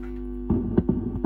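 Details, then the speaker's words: Torque Acoustics T100L guitar amp (c.1989–early 90s, TL072 preamp, LM386, spring reverb) after repair, no guitar plugged in, overdrive engaged; steady low mains hum through the speaker with a few handling clunks; amp now working. "You can definitely hear the hum kicking around."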